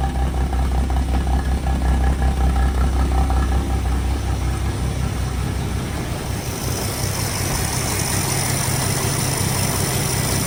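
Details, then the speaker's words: 1962 Ford Falcon, replacement engine after rod knock, first start at 4° cold: steady low idle with loud muffler rumble, slight valvetrain tick, no knocking; normal idle, timing may need adjusting. "You're running nice and quiet. Little bit of valve train kick, but we can tighten that up. No more knocky sounds."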